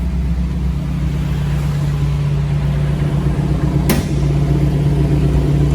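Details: Frame-off restored 1984 Jeep CJ7 with rear lockers, just started, starting easily: steady, even low rumble at idle with no knocks or misses and one short click partway; engine sounds healthy and settled.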